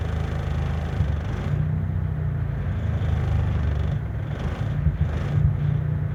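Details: Toyota Corolla engine: deep, choppy exhaust rumble with irregular hiccups and thumps breaking the beat, sounding like a cylinder misfire.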